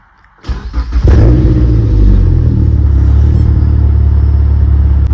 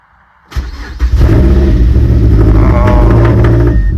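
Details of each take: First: Mazdaspeed 3, cylinder 3 misfire chase, after swapping coil packs between cylinders 3 and 2: brief crank, catches cleanly, steady even idle, no rough idle or stalling, sounds way better; normal start. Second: Mazdaspeed 3 with cylinder 3 misfire code, after reinstalling spark plug (plug looked white, owner suspects lean): cranks and catches, then uneven lumpy stumbling idle, sounding even worse; rough running at startup from misfire.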